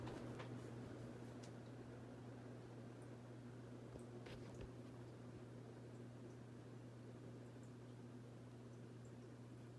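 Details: Vintage Encon Premier Deluxe 36-inch four-blade downrod ceiling fan on high speed in downdraft: quiet steady low hum with soft airy whoosh, even, no ticks or wobble; running normally.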